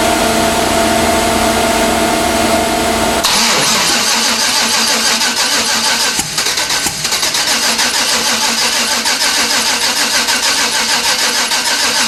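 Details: 1992 Chevrolet Silverado, 5-speed, turbocharged 5.3 LS swap: steady cranking rhythm that never catches; fuel pump on and fuel present, plugs suspected fouled with fuel from over-fuelling, so it won't fire.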